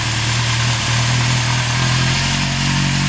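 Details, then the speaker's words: 1974 Honda CB750 K, SOHC four-cylinder with four carbs, about 250,000 km: smooth, steady idle hum with an even exhaust note and no misses or knocks; healthy idle. "That's my old Honda and she she runs good. I should uh start it up really quick and show you."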